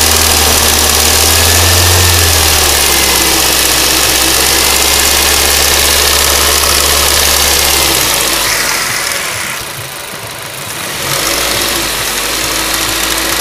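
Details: Ford Duratec HE 1.8 engine idling with a sharp, regular tick about four times a second, clearly audible; owner asks what it could be, source not pinned down.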